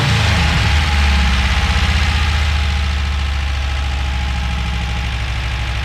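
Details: Brat first start with no throttle cable and many open vacuum ports being plugged: loud, uneven low chugging idle with a lumpy pulse; rough idle, vacuum leaks suspected, not confirmed.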